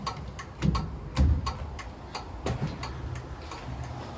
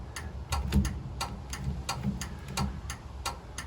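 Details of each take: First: 1936 Chevy coupe turn signals: sharp repeated loud flasher clicks at a steady pace over a low background rumble, left signal flashing; flasher relay working normally. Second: 1936 Chevy coupe, new universal turn signal switch and two-pin flasher: steady dry clicks about three a second continue with the switch off even after swapping the flasher terminals.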